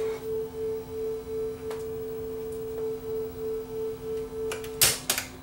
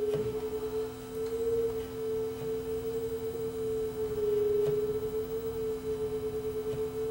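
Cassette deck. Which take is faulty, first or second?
second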